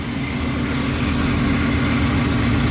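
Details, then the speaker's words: Mustang started after topping up fluid, checked for leaks: steady, even low rumble with no misses, knocks or hissing; normal idle, nothing leaking. "We'll start it up and let it run. Alright, I think it's good."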